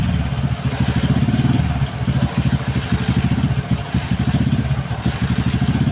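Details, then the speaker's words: Motorcycle with newly installed N-Pro carburetor before any tuning: revs rise and sag unevenly as the throttle opens, surging then dipping instead of climbing cleanly; bog on acceleration from incorrect carburetor jetting, before adjusting jets and needle. "อ่าอ่านี่นะครับก็เมื่อกี้ก็เพื่อนๆได้ดูแล้วนะครับว่าอาการมันเร่งนะครับไม่ได้นะครับเร่งก็วอดวูบนะครับ"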